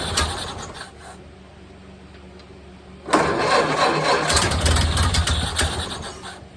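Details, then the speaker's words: 1929 Ford Model A Tudor, rebuilt engine first start after 40+ years sitting, throttle lever not hooked up, choke in, idle adjusted by hand: weak uneven firing fades out, then a fresh start catches ragged; sputters and stalls. "well how about that! I don't have the throttle lever hooked up. so I need to turn the idle up down here."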